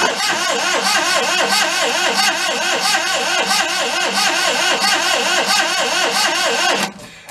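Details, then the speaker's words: 1992 Daihatsu Hijet mini truck after long neglect, ether sprayed into intake: starter churns steadily about four to five beats a second with no catch; cranks but won't start, owner suspects no spark. "we'll give her a little spray like ether we'll try that if we don't get anything from there then uh we know we got no spark"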